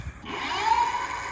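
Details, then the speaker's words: Bee Adventurer full-suspension e-MTB after realigning the brake rotor centered between the pads: wheel spins freely with only a faint even hiss and light hum, no scraping or rubbing; normal brake, noise gone. "okay it's quiet now let's actually ride it that way we know that it's actually good to go all right so the noise is gone"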